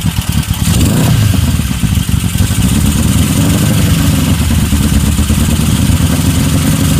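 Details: 1972 Honda CB750 K2; lumpy idle with clattery tapping over the exhaust beat that carries into the rev; knock from inside the engine, cause unclear, and the owner asks whether it is normal.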